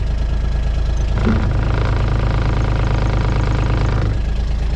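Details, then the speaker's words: John Deere Gator XUV 855D, parked on a hill with the parking brake on and pushed against it, heard best from the bed: a deep drumming rumble that builds under load, as when accelerating uphill. Vibration suspected from the engine mounts, later replaced. "so there's some sort of vibration causing that and that's the same like if I go to accelerate up a hill or just accelerate in general it makes that noise and it vibrates you can feel it"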